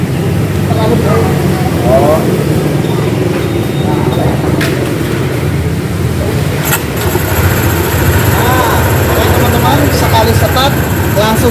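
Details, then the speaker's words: Honda PCX 160 scooter that stalled after riding through floodwater and had been very hard to start, tested after engine oil refill: starts on first press and settles into a steady even idle; now normal. "ya Jadi udah enak banget tadi kan susah banget hidupnya Nah sekarang sekali stop langsung hidup"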